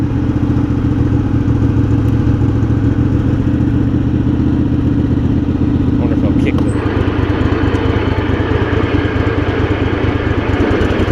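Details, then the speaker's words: Craftsman garden tractor Kohler CV20 twin, after carb clean: steady thrum drops smoothly to a regular idle without stumbling or hunting; idles down well. "it ain't enough to try and mix or anything cuz it's still track St great it idles down really well"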